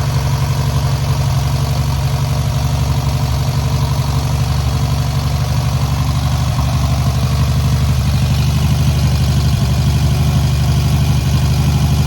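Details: First start and break-in of newly rebuilt air-cooled VW 1600cc flat-four: deep even thrum, steady beat around four per second, no knocks or rattles; normal idle.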